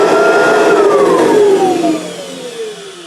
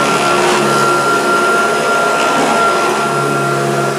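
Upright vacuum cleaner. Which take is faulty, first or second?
second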